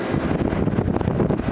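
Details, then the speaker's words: GE AJCS10ACAM1 9,900 BTU 115 VAC window air conditioner with two fan motors, first run in about 10 years, fan on high: steady, even rush of air with no rattle, scrape or wobble; normal airflow. "now you can hear the airflow. This has got two separate fan motors."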